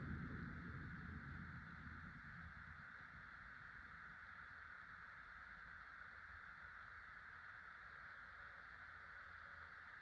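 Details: 1996 Casablanca Delta II 50" ceiling fan, Emerson K55 motor with new bearings, four blades: soft even hum and faint steady whoosh, no clicks, rubbing or wobble; doesn't wobble, blows more air than with five blades, silent.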